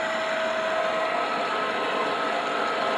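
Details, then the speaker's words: Pellet stove exhaust blower with worn, shot bearings, worse when hot: a steady high whine over a rough, gritty whir; bearings being replaced. "when it gets hot it gets really bad so i've replaced the bearings yeah they're bad they're shot"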